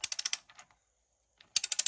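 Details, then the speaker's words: 1906 Walden-Worcester socket wrench from a Ford Model T, removing a bolt: crisp, bright, even old-school ratchet clicks, about ten to twelve per second in two bursts; pawl catching cleanly, healthy ratchet. "Hear that old school ratchet clip."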